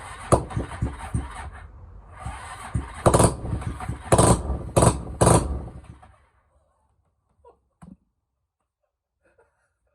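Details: Cheap 250cc motorbike engine fitted to an old mower, originally fuel-injected but wired to CDI with a generic Chinese loom, first start after spraying something down it. It cranks, catches, runs unevenly with lumpy low firing for about six seconds, then shuts off.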